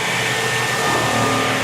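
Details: Kaivac No Touch Cleaning System internal pump, run with the gun removed and the pressure-hose ball valve open: a steady loud whirring hiss with a thin high tone and no load change. The pump is spinning on air, not yet primed.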